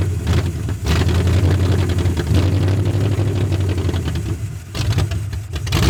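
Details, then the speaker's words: Uneven, lumpy idle wandering and dipping near stalling on a 1981 Mustang 5.0 parked since 1996, fed by an electric fuel pump; owner suspects a vacuum leak, bad carb gasket, or distributor slightly out of position. "She's fighting me. I think the distributor is in the wrong spot a little bit, and it's not enough to let it idle."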